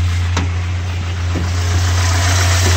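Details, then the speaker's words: Mazda B2600i 2.6 L G6 engine running on a swapped B2200 F2 ECU for a few months, warmed up, shroud off: steady even low hum at idle, no misses or knocks, smooth: normal idle. "how it's idling. Still need to put a shroud back. Engine warmed up. And so far so good, no any issues."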